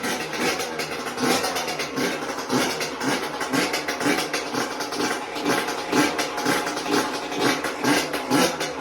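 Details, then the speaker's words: Yamaha YZ125 two-stroke after a top-end rebuild with a new piston; before the rebuild it was weak and wouldn't start. It took a bit to start, then a crisp burble with even throttle blips and no knock or misfire: normal running. "as you can see turned on nice like it took a little bit but cuz I got a brand new piston but sounds nice sounds good how it used to ran"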